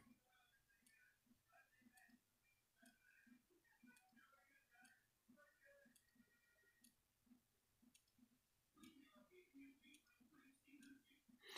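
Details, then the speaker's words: Energizer one-hour rapid battery charger heard up close while charging: faint sharp clicks about once a second from inside the charger in a quiet room, cause unknown. The charger runs hot, which is normal. "but if you listen closely you may not be able to hear a clicking sound in the charger and put it in my ear there is a clicking noise you can hear it"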